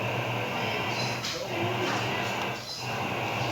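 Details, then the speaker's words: LG CM4330 stereo on a series test lamp after a part was replaced: steady hiss from the speaker right from switch-on with no signal. Original fault was protection, hiss and cut-out. Speaker hiss at power-on. "peguei ele sério e agora vou ligar no stand by ele já ligou ali já acionou e já tá chiando na caixa"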